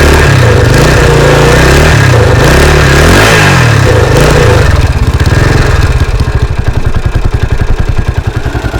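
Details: 1983 Husqvarna 510TC four-stroke, restored after fire damage and recently rebuilt: crisp blips rise and fall cleanly, then even thumping idle with no clatter or knock; sweet-sounding normal engine.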